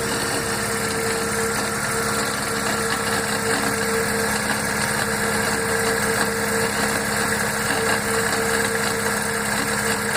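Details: Fiat gearbox at idle when cold: constant whirring hum with faint fixed tone like rumbling bearings, disappearing once warm; fixed by changing gearbox oil and adding a tube of Molykote.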